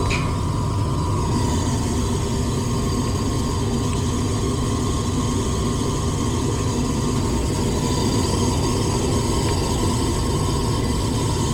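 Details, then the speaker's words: Very old furnace's draft inducer motor, heard on a no-heat, no-cool call where a capacitor short was found: loud rough droning hum with a thin whine. It measures 1.7–1.94 A against a 1.6 A rating, so it is over-amping and noisy. "so y'all saw that inducer it didn't sound too well and that system overall is just very old"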